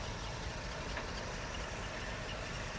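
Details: 1982 Pontiac Trans Am V8 left in a garage for 27 years, running under its own fuel: steady, even low rumble with no knocks or stumbles, settled into a smooth, healthy idle.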